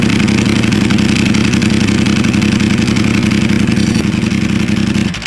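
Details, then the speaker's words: 2022 Ducati Panigale V4S, 8,000 km, after valve cover gasket reseal and newly fitted STM dry clutch, idling: loud, lumpy idle with dry metallic clatter over the beat; normal, intended dry clutch rattle. "A Ducati needs to have that iconic clattering rattle. It shouldn't sound like those inline fours, with their ultra-smooth, standard exhaust notes."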